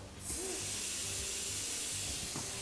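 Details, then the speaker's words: Old second-hand Ingersoll Rand IR40 pneumatic upsetter, jury-rigged air supply: loud steady hiss of air starting suddenly and holding constant, escaping past the wrong air fitting; compressed air leak. "Okay, I put the wrong air fitting on. So I'm gonna quickly change that."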